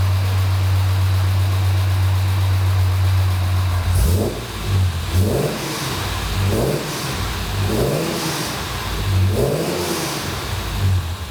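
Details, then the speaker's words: Jaguar E-Type during a service, a little rough at first until oil pressure comes up: steady low idle, then repeated throttle blips rising and falling cleanly with no chain rattle. Normal idle and revving. "I'll start it up for you and I'll let you ever listen to it and uh then I'll pick the camera which she running beautifully at the moment"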